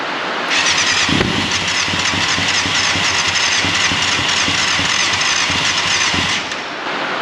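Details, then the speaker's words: 1989 Yamaha FZR600 Genesis, not started in over 4 years, running on old fuel: cranks and catches roughly with a high squeal, firing stumbling irregularly as if not all cylinders are running; compression sounds good. Misfire, cause not confirmed. "sounds like it's misfiring like it's only running"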